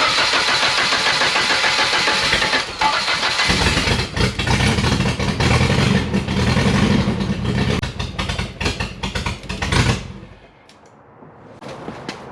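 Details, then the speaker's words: 1989 Nissan 240SX after replacing ignition connectors: cranks, catches, then idles rough and uneven with stumbling pulses before dying; misfire, suspected low compression from a valve or unseated spark plug. "Nope. That can only be one other thing, and that's compression, either a valve or the spark plug's not seating."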